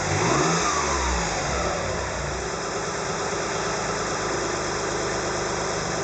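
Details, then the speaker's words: Mitsubishi Legnum VR4 engine running with all drive belts removed: a clear whine falls in pitch with the revs and then holds at idle. It is loudest when cold. A new alternator, water pump, tensioner, timing belt and idler didn't cure it; the later suspected cause is a blown rear turbo. "There are no drive belts on this car. I can see the belt tension, the timing looks pretty good, but it makes this whining noise, so here we go."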